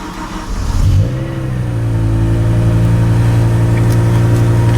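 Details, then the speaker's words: BMW M6 V10, not driven for a while, with low-battery warnings despite a long AGM charge: cranks about a second, longer than expected, then flares and holds a loud, steady cold idle echoing off a nearby wall. Cause unconfirmed. "bit longer than i was expecting you can hear the thing is actually quite loud on tick over however we are next to a wall"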